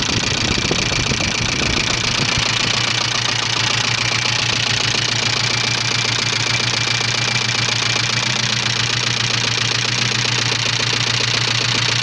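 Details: 1985 Subaru Leone EA82 boxer engine idling: a sharp, bright, unceasing rapping of about two to three per second; internal engine knock, owner asks what is knocking, cause unknown.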